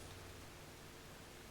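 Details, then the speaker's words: Marshall JTM45 valve amp: its constant hum came from the output transformer being mounted too close to the mains transformer. After rotating the output transformer 90°, only a faint, even hiss remains, with the hum cured. "completely and utterly cures that hum."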